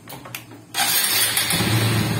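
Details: Honda XRM125 with hard starting and dying at idle: several weak cranking pulses before it finally fires and must be held on the throttle; no real idle.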